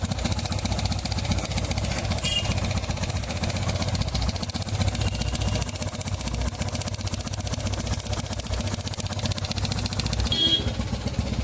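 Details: TVS Apache RTR 160 2V BS6 motorcycle at idle: a light metallic rattle ticks along with the engine beat, about four a second, sounding like a top-end noise; timing chain noise suspected, not confirmed.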